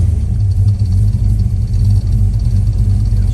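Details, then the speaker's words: Holley Sniper EFI after lean condition fixed, now with all four injectors firing, possibly still self-learning: even full low rumble at light steady throttle, no stumble or popping; normal running. "oh yeah yeah much better perfect air fuel ratio"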